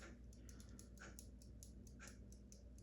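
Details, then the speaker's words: In-wall spring-wound mechanical ventilation fan timer that sticks on: light, dry, slightly uneven ticks a few times a second over room hum; the timer keeps clicking after being returned to the off position. "And when you put it back to the upward position, this part shuts the electrical off, and sometimes it does continue clicking just like that."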